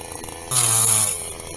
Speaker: 先ほどジジジと変な音が鳴った原因は金属なので、それを取り除きます。